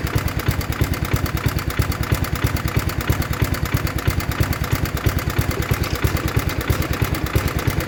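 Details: 1960s Toro Professional 70 reel mower's small 8 hp single at a brisk, steady idle with no skips or surging, just after fuel system cleaning and carb rebuild (high idle 2.5 turns, low 1.25); normal idle.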